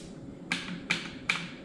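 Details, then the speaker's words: Surplus Yugo SKS gas tube rocked by hand during troubleshooting of cycling issues: four crisp light clicks about 0.4 s apart from back-and-forth play as it fails to seal; owner suspects gas escaping, an oversized gas port is planned as the fix. "But I am actually getting back and forth movement because this is not sealing correctly here."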